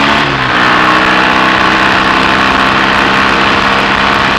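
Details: BSA A65 Thunderbolt parallel twin on test ride after closing spark plug gaps to cure Boyer ignition misfire under load: pulls hard, even unbroken exhaust beat as revs climb, no stutter; smooth running under load.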